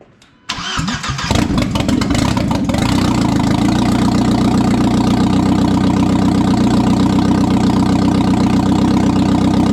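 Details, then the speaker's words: 1997 Audi A4 B5 turbo on first start after an engine install, with no exhaust fitted yet: cranks, then a loud, slightly uneven open-exhaust idle. The owner thinks it is probably running very rich; codes are to be cleared. "it started and ran and made noise so now we just got to work on exhaust which is fine"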